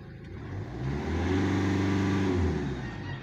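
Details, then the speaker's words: 2016 Hyundai Accent CRDi diesel with low-power/crank-no-start history, pressure regulator sensor replaced twice, check engine light on: climbs under throttle then holds flat drone, won't exceed 3,000 rpm; cause not confirmed. "wala hanggang 3,000 lang talaga boss Hindi pa nga umabot Hanggang diyan lang siya"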